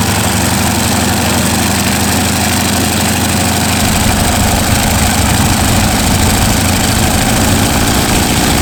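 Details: North American T-6 WW2 trainer's radial engine, sat 12 years, after first start: loud, lumpy low idle with rough throbbing beat and some mechanical clatter; running, a little harder to crank than the other one.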